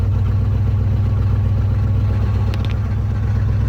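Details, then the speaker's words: Ford F-250 with a 390 V8 at 180k miles, started cold in an Iowa winter with a jump pack after sitting about six months. A low rumbling idle with a hollow, uneven beat, running very lean, about 16 inches of vacuum, oil pressure slowly rising. "man she is lean lean lean but she's running"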